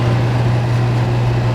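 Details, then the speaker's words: Kenmore 25357510791 dehumidifier after cleaning, blanket refitted, max dry and low fan speed: steady, even one-tone compressor hum with no knocks, rattles or buzzing; brief start-up vibration fades, running normally. "See how quiet it is? A little vibration when it first starts up, but that goes away. That blanket really makes a difference. You can barely hear the compressor."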